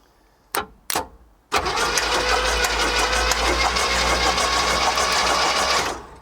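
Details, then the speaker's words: 1963 pink Cadillac limo found in a junkyard, first start: fires after a couple of cranks into a fast, busy idle; a light metallic click-click ticking, like metal tapping, appears briefly, fades, then returns; cause unknown. "I heard a little bit of a click click click there for a second then it disappeared so everything's fine like a rattle or like it was like metal was kind of tapping something but like I said it disappeared"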